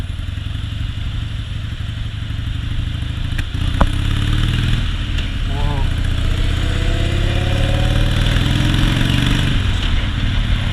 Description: You can hear the engine idle really low and then when it gets under any minimal sort of load it will start misfiring.